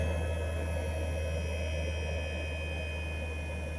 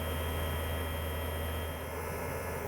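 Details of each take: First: 2008 Mercedes CL63 AMG (C216) dynamic seat air pump in the trunk, newly replaced, with the lines blocked off for testing. A steady electric hum runs evenly, then cuts off cleanly once pressure builds. The pump and its pressure cutoff work normally. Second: 2008 Mercedes CL63 AMG dynamic seat system with the new air pump reconnected to the lines. A steady, low pump drone never changes pitch, so pressure isn't building. There is an air leak further forward, probably at the seat bladder.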